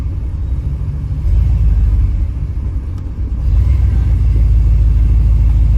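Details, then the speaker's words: Rebuilt Chevy small-block 350 truck: deep, uneven V8 idle that sags and nearly dies before recovering, dies when put in gear; distributor replacement didn't help, fixed by replacing the camshaft; rough idle from unsuitable aftermarket camshaft. "she runs and drives but she still needs some adjustments um I'll show you guys what it does see check it out she doesn't want to idle she's about ready to die"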